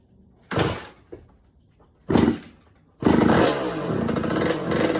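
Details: 1986 Kawasaki KX125 two-stroke on its repaired choke, petcock on and float bowl refilled. Two short cranking bursts die, then it catches and runs ragged, hunting, and won't idle. The owner suspects lean running from too little fuel.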